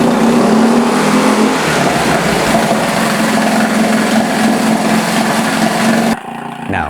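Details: Yamaha F4 four-stroke outboard idle nearly a decade, carburetor cleaned, a few pulls to refill it with fuel, carb gasket and starter still missing: steady buzzing beat for several seconds before cutting off; starts and runs, needs fine-tuning.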